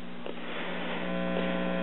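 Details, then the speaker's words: Low constant electrical mains hum with a steady buzz from an American Foundation for the Blind AC-50 talking book record player (circa 1950, 78/33 RPM) at raised volume; previously tampered with, owner suspects a bad ground. "hear the humming sound that it makes like it has a bad ground so I need to address that"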